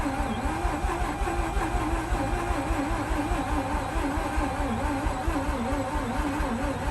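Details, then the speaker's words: 2004 Mazda RX8 manual rotary, not started in 2 years, cranked with gas pedal down then released: steady starter cranking with a wavering drone that never fires; alternator pulley found not spinning. "I'm gonna first crank it over with a foot down on gas, and starting to release. And nothing."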